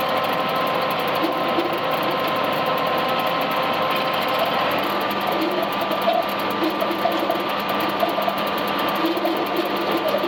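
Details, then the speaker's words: Machinery drone with recurring short squeals as the drive belt slips, overloaded by too big a lump jammed in. "you hear that belt squeaking that's the going to be the whole issue take a Jun stop I knew there was going to be a problem I put too big a lump in there"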